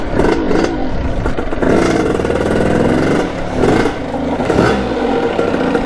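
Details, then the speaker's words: 1989 Kawasaki KX80 with 110 big bore two-stroke, ridden in second gear: repeated throttle bursts rasp but never snap onto the pipe, staying flat at full throttle; lack of top-end power, owner suspects jetting. "I went through everything I don't know what it could be either jetting or something's a little bit off it wants to go win a couple times when I was test driving it without the GoPro but other than that the power is there when it goes to so I think it might just be jetting"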